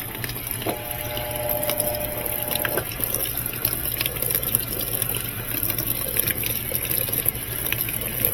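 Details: Maytag top-load washer after repair, previously said to have a bad transmission: steady rush of water over a low, even pump hum with no knocks or grinding. Normal fill and drain.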